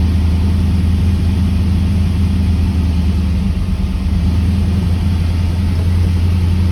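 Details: 1979 Camaro Z28 with a McLeod Super Street Pro clutch, whose random noises with the pedal pressed were traced to a greased pilot bearing: steady, even low idle drone with no chirp, rattle or grinding; normal idle.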